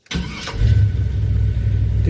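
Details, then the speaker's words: 1978 Chevy C10 truck, warm, fitted with a 4.3 starter from a 2000 replacing a truck starter: short quick whir of cranking, engine catches straight away into an even run; healthy starter. "Did you hear that starter? Man, it sounds so much better."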